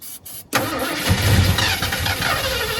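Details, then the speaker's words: 1972 Ford F100 V8 that sat for decades, first start attempts: a few cranking turns, then it catches and runs rough with lots of smoke, as gravity feed isn't getting fuel up to the carburetor; fuel starvation. "There's quite a bit of smoke. Must not have fuel to it. I don't think the fuel's getting up there."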